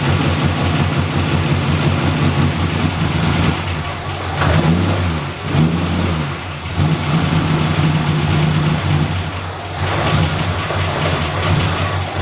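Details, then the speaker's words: Ford EB Fairmont started after about four years sitting: fires right up but idle hunts unevenly with dips and surges; MAP sensor on firewall not getting good vacuum suspected, vacuum leak such as split hose. "it started right up but she's about as cranky as waking up miss brownie on a day off something's off"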